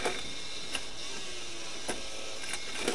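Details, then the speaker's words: Faulty Sony MDS-JE480 MiniDisc deck with a blank display, red standby light and unresponsive buttons: faint motor whine with scattered small clicks as the mechanism keeps cycling, apparently stuck in a loop; the disc is not drawn in and the cause is unclear. "Sound like the mini mechanism stuck in a particular loop or something like that."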